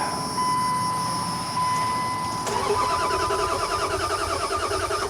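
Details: Vehicle that won't run after a transmission install, with a used PCM suspected: starter cranks with even chuffing rhythm under steady electronic whine but never catches; cam signal, MAP 4.66 V and TPS 0.9 V checked OK.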